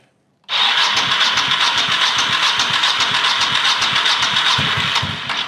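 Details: 1985 Honda VT1100 Shadow with sidecar, neglected and reportedly hurricane-flooded: fast, even starter churning about four beats a second, never fires; cranks but won't start, carburettor slides gummed, carbs to be pulled and rebuilt.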